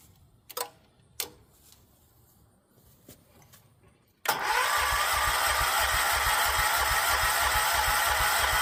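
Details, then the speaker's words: Decades-dormant John Deere 314 garden tractor, rebuilt Kohler K321 single-cylinder, started with carb cleaner; catches into steady even thumping idle, no knocks, warming and burning off old oil with some smoke: normal idle. "Well, after it ran here for a little bit and warmed up, it looks like it burned all that old oil off. Still some smoking going on up here. Uh that was all pretty wet with oil, but sounded good."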